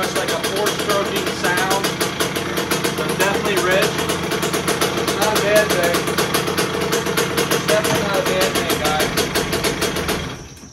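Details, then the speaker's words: 2001 KTM 50SX two-stroke after carb upgrade, still cold: burbles unevenly, missing and sputtering, then cuts out; definitely rich, carb likely needs pulling and re-jetting. "all right so it's definitely Rich you guys could probably hear that"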